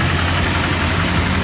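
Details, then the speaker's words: GAZelle ZMZ 405 engine just started cold, hood open: rough low rumble with a busy clatter on top as the cold engine knocks and makes strange noises; cause unknown and still being sought. "Да, и мы хотим выяснить причину, почему двигатель на холодный вот так стучит, шумит и издает какие-то непонятные звук"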